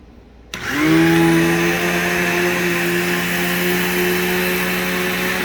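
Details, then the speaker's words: Upright bagged vacuum with brush roll: motor spins up quickly and holds steady even hum, no rattles or surging; normal vacuum run, works perfectly fine. "so this thing definitely works perfectly fine it has a nice good brush roll in it"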